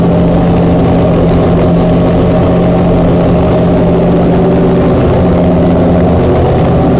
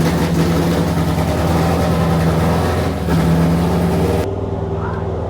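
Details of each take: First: Chrysler 440 Six Pack triple two-barrel carburetor V8 after replacing a damaged center carb gasket beside the power valve: deep, even idle, steady low drone, no misses, knocks or hunting. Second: Chrysler 440 Six Pack with new metering plates on the outboard carbs, ran well the day before and is now cold: lumpy, stumbling V8 idle, missing on some cylinders, loading up rich, then cutting out.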